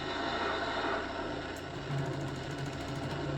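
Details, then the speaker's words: Lionel 6-38024 TMCC-era PRR S1 6-4-4-6 duplex loco with Odyssey speed control, sounds muted: it runs fine in reverse, but in forward the motor whirs with fast buzzy chatter and the loco won't move; worm gear suspected skipping on drive gear. "not sure if you can hear it on the video but you could it sounds like the worm gear is skipping on the drive gear so hopefully it should be a pretty easy fix"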